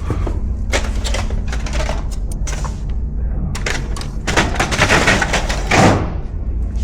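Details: HP Color LaserJet E67660 MFP printing normally after a crooked Tray 2 roller assembly was replaced, which had caused clicking and rattling. Steady motor hum and paper-feed swishes, no rattle.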